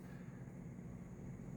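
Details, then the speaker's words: 150VA toroidal transformer with added thick-wire turns shorted: loud steady low hum and buzz, felt as vibration; the short cable grows hot while mains draw is only 0.2 A. "I can hear it or it's buzzing but uh oh my gosh I can actually feel it not just hear it."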